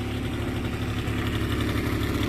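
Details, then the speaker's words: 2009 Yamaha Zuma scooter after a carburetor clean for a no-start, warming up: steady, even single-cylinder putter with regular beat, no misses or knocks. Normal idle. "can't get much easier it's running good it's gonna take for a little test ride I'm going to warm up one's perfect smooth love it"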